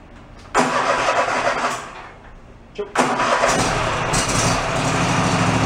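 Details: Toro zero-turn mower sitting about 10 years, first start: two crank attempts, then the small engine catches and settles into a steady, even idle with no knocks or misses; normal idle.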